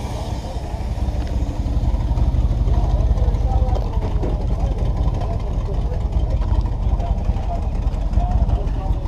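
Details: Cheap project truck after a problem was fixed; it had run weird and needed butterfly throttling, but now holds fuel pressure and idles. A low, rough idle with puffing and chuffing on each pulse as exhaust leaks out of the muffler.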